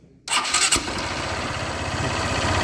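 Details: Motorcycle engine losing compression and making a strange noise when pulling away: it catches, then idles with a sharp puffing chuff on each firing beat.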